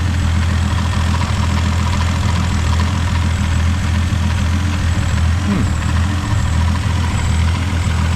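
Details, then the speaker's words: FG Falcon turbo trayback ute with factory-based Barra turbo engine, idling on the hoist while warming up; steady, even low rumble with no knocks, ticks or misses. No oil return or coolant leaks, charging, power steering and cooler good; normal idle. "leaks from the oil return. Everything's happy. Charging. Power steering, cooler's all good. No coolant leaks."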